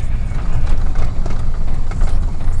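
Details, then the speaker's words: 2000 Chevy 4.8 V8 truck idling with four coils deliberately unplugged as an experiment, running on four cylinders; rough, lumpy idle with uneven heavy chuffs and loping shake instead of a smooth V8 burble. "Sounds like four of my cylinders quit working. No, I'm just kidding, ain't nothing wrong with my truck. I just did a little experiment and unhooked four of the coils just to see if my truck would sound any different."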